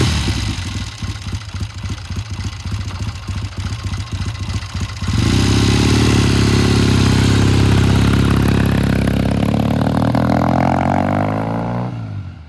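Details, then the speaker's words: 1972 Triumph TR6 motorcycle with a slow warm-up, after the pilot jet in its Premier carburetor was checked: a lumpy idle, then spits and pops through the mid-range while pulling away cold. Owner is considering raising the needle one notch. "now I can hear it it's still popping and spitting started really good sounds really good but it it was popping in spitting every time he got into mid-range"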